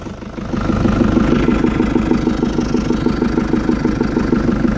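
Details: Cold start after sitting overnight: cold idle with steady light tapping, roughly three per second, over the engine note; owner suspects valve tick, not confirmed; ticking on cold start.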